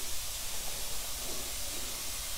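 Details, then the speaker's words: 1963 Austin Healey Sprite engine, leak-down test at 50 psi holding only 10 psi (about 80% leakage), compressor running; steady hiss of escaping air, suspected burned valve. "so of course now that i've fired up my air compressor i gotta listen to that thing hiss which makes it a lot harder for me to tell whether it's coming out the intake of the exhaust here"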